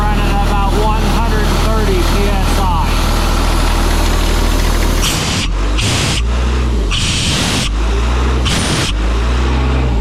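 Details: 1997 Sullair air compressor with a diesel and a John Deere reman injection pump, just bought at auction: heavy, low diesel rumble with a steady beat and no knocks or misses after starting; healthy.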